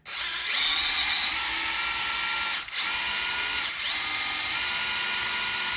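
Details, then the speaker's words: 1990 Ford Mustang GT, turbo 363 stroker, before first fire: priming tool in the distributor hole driven counterclockwise by a drill to prime the oil pump; steady high drill whine dipping twice as the load changes. "We got this prime tool that sits down in my distributor. Stick this on my trusty drill. And remember, we gotta go counterclockwise. You should hear it prime too."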